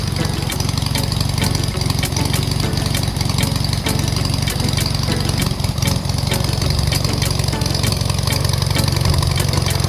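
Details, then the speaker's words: Aircraft engine on first start after full rebuild with new pistons, cold and warming at idle, oil pressure not yet up: low, steady idle with even firing pulses, no knocks or misses; normal idle. "all right that's my restart after a full engine rebuild we started right up i am excited for that still got some more work to do i'm going to keep it at idle just for right now to warm up"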